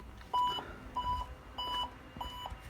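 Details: 2012 Fiat 500 TwinAir with a newly self-installed Hawk reverse parking sensor kit, ignition on and in reverse; short, crisp mid-pitched beeps repeat evenly about every 0.6 s in a quiet cabin; the sensor is active and working normally.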